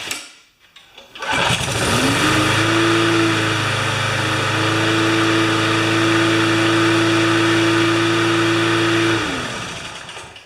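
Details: Plain Briggs & Stratton side-discharge mower, perhaps about 10 hours of use, with clean gas. Starts after a short pull, climbs quickly to a steady, even drone, then winds down cleanly. Normal running.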